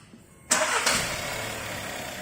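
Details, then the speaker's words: 2014 Audi A3 1.4L that would not drive because of a faulty Mechatronic unit, after fitting a rebuilt unit and doing basic settings and clutch programming: brief crank, then clean catch and an even, steady idle; healthy start. "So now we're going to actually start it up. We've done all the computer work, all the programming is done. Now we're just going to start it up and actually, alright, start up."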